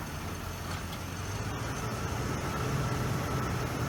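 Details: 1989 Lincoln Town Car, test run at idle after EGR valve replacement: low, steady idle with an even beat and no knocks, misses or squeals; engine idling cleanly.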